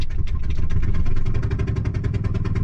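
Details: 1999 Ford F250 Triton 6.8-liter V10, suspected in limp mode, before rethreading the spark plug hole: loud puffing tick with each firing over a rough idle, from a blown-out spark plug.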